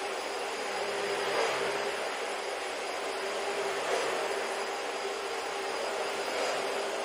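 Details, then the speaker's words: Trash-found Dyson vacuum, after cleaning and repair, running normally: steady, even airflow rush with a constant high motor tone, no surging or grinding; it works fine. "You can't really hear the motor whine because it's like always, or the seal leak because it's always there, but and it doesn't actually sound that bad, but yeah, it works."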